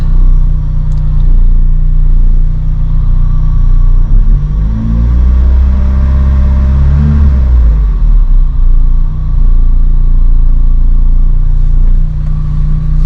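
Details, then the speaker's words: Lotus Elise at idle, faint steady whir under the engine note that keeps the same pitch as revs rise and fall, appeared after start-up, seems louder inside the car; owner suspects fuel pump, possibly belt tensioner, unconfirmed. "i think it's the fuel pump priming then i'll start the car and did you hear that sound come on it was not there and then it started doing uh it doesn't seem to change with rpm i think the rpms just kind of drown it out a little bit but it doesn't seem to change with rpm"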